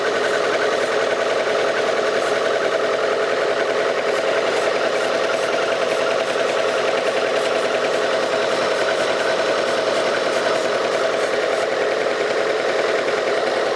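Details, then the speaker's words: Rover 216 SE convertible that failed its MOT on emissions because the idle does not drop back low enough; owner suspects an air leak or a sooted idle stepper motor. A fast, even idle that never settles down: idle speed too high. "the car was um not dropping back to a slow enough idle speed so it's idling too high"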